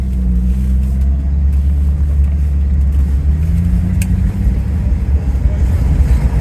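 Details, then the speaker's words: Rolls-Royce Silver Shadow with SU carburettors, test drive before proper tuning: engine note climbs smoothly under acceleration with no stumble; the earlier part-throttle hesitation is gone. "yeah none of that hesitation is there anymore very good turn around here everybody likes the car everybody gives me the right of [Music] way"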